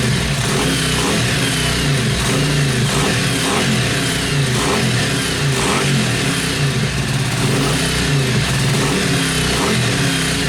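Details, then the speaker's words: Yamaha Virago XV500 V-twin café racer with a newly mounted SU carburettor and ram pipe: revs hard and steady with deep intake roar over the exhaust, picking up cleanly without misfire or clatter; healthy. "Did you hear that induction noise through that ram pipe? Did you hear that fucking roar?"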